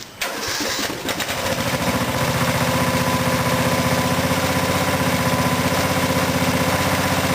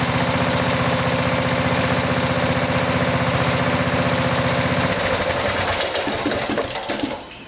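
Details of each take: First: Craftsman riding mower after fuel tank replacement: catches on first crank, settles into a steady, even single-cylinder thump about four beats a second, no misfires; normal start and idle. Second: Craftsman riding mower engine after fuel tank replacement: running steadily at about four beats a second, solenoid connection cut at carburetor; loses power after five seconds and dies within two. Poor fuel shutoff solenoid contact stops the engine; won't run.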